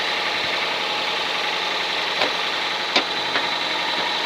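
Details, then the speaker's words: Toyota Camry (SV35) at idle, hot or cold, oil changed 4000 km earlier, oil light stays on about 10 seconds at start: dry crunchy rattle with sharp irregular ticks; owner suspects valves or alternator/belt tension, unconfirmed. "Холостые, на горячую, на холодную стучит как бы, не стук, не клинит, ничего, просто что как будто клапана."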